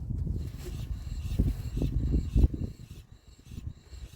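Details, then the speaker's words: Car jacked up, rear driver's-side wheel spun by hand: a soft, uneven brushing from slight brake drag with no growl or grind; normal wheel bearing, unlike the loud rear passenger-side one. "Nice and quiet. All you can hear is just the brakes grabbing slightly, the wheel bearing. Sounds really good."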